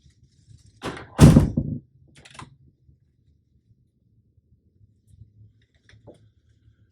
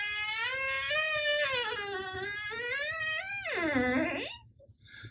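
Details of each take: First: Door hinge after the hinge pin was removed, coated with petroleum jelly and tapped back in: the door swings with only a soft latch thunk and light knocks, and the former squeak is completely gone. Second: squeaks like crazy. So, there's nothing like going to the bathroom and announcing it uh by the fact that there's a squeaky hinge on the door.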